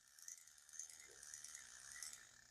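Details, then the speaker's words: Vintage Zebco Cardinal 3 spinning reel after a clean and lube with Zebco grease, anti-reverse left unlubed to keep its click. Cranking gives a quiet, even, high-pitched whir with only faint fine ticking and no grinding. Smooth, healthy reel. "God, it just purrs like a little kitten, don't it? Just purrs like a little kitten."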